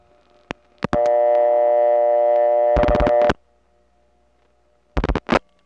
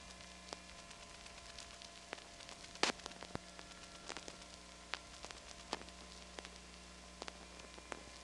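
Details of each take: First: 1979 Atlanta Trinity step-by-step telephone office: a call over an analog wire cable trunk to a No. 1 ESS supervision test. Relay clicks, then a clean, steady ringback tone that cuts off sharply. A normal, healthy connection. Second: Atlanta Trinity step-by-step telephone exchange, recorded January 1979, with the volume turned up: a faint steady hum on a quiet line broken by scattered, irregular clicks and snaps. Step switch noise and power supply buzz.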